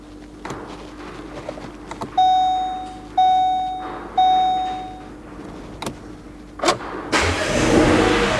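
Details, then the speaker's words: Vauxhall Grandland bought as a non-runner at auction, started with a jump booster: dash chimes and clicks, then a brief crank, and the engine catches and settles to a steady idle. Needs time to settle. Normal engine start. "there you go and as I said just needs a bit of time to settle down and these things are quite often do run"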